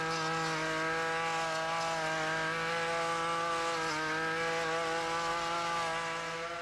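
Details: Ryobi RY253SS two-stroke string trimmer, dumpster find, after replacing a leaking carburetor, started at half choke: high steady buzz at full throttle with clean even note; running normally, carb may need a few adjustments.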